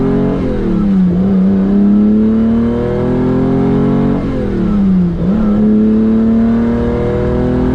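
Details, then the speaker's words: Ferrari 365GTC4 carbureted V12 after carburetor cleaning fixed non-functioning accelerator pump jets and a fuel leak was tightened: two quick blips climb cleanly, hang briefly, return to idle without stumbling; crisp response, normal free revving. "that's a good sound C4s always have a great sound this one's so much more this one's definitely got the C4 sound"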